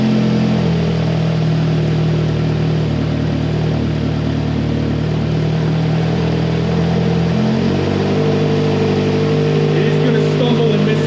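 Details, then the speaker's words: Rebuilt 2AZ-FE engine in a 2007 Toyota Camry (new pistons, machined head, for blown head gasket and oil consumption) on first start, relearning idle: loud, throbbing, slightly uneven idle with raspy puffing from a leaking exhaust flex pipe. "it's a little noisy right now because we do have a leaky flex pipe that I do have to fix"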